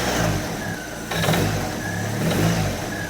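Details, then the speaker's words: Long-stored hot rod Model A coupe at idle after start, belt flopping, alternator loose: loose uneven rattling buzz swelling with revs; something vibrating, cause not pinned down. "something makes like a racket those things running at idle something's vibrating and that belt still flops around a"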